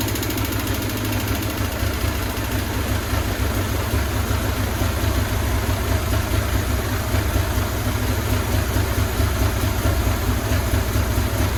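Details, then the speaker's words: 2000 Buell Cyclone M2 V-twin, first cold start after new lifters and battery were installed: a light, quick ticking over the lumpy idle from dry lifters. The tick went away once the lifters pumped up. "The lifter tick initially was there, but as soon as the lifters pumped up this time, it all went away."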